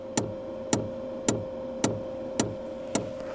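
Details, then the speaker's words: BougeRV diesel heater set to 5,000 W, blower running and ignition electrodes on: the dosing fuel pump ticks sharply about twice a second while priming, louder than expected; such pumps usually quiet down once primed. "So, I can certainly hear that fuel pump tapping in there. Not as quiet as I would have expected, but it's still priming."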